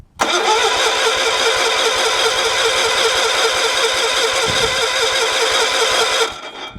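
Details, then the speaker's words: Wood-splitter engine in cold weather, not run for a while, electric-starter cranking with choke on: it cranks without catching because the fuel is turned down too low; it likes choke and needs the fuel turned up. "doesn't seem to want to start oh I got to turn the fuel up a little bit and I know it likes to choke"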